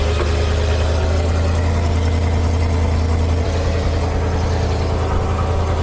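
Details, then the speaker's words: Old dump truck bought at auction, idling: a steady, even low rumble at constant speed with no knocks or misses; it runs well, though the owner still thinks the carburetor needs work. "But this truck is running awesome. Sounds good. I still think the carb needs some work."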